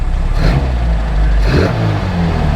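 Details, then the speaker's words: Classic Mini, 1330cc A-series engine bored 60 thou over, SW10 cam (believed Kent 286 equivalent): deep, throaty idle with steady loping pulse, nothing too aggressive, no knocks or ticks; healthy mild performance-cam lumpy idle. "It is the equivalent of a Kent 286, I believe, and this thing has a nice idle. Let's just start up and just have a listen to it, shall we? Just a nice little lumpy idle, nothing too aggressive,"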